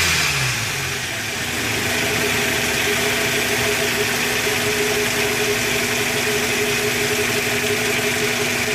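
Fast rough clatter riding over a steady idle, some metallic rattle on top; the source isn't clear from listening alone.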